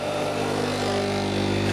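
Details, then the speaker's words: Crompton Parkinson electric motor running on test: steady, even hum with no grinding or rumble, indicating good bearings. "Love that sound. Good bearings."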